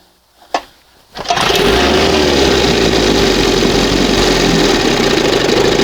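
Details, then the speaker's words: 1971 Johnson 20 hp two-stroke outboard after fitting a smaller high-speed jet and readjusting the carburettor, warming up: catches on the pull and settles into a steady, even burble with no stumbling or surging; sounds better, running smoothly. "That sounds better. Heat up here."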